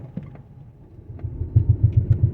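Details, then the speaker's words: 2011–2021 Dodge Durango with a rhythmic knocking from underneath, deep even thumps about eight a second building while driving and worse turning right than left, as if the driveshaft is hitting something; worn driveshaft center support bearing knock. "la barra Oye como si estuviera pegando con algo acá abajo"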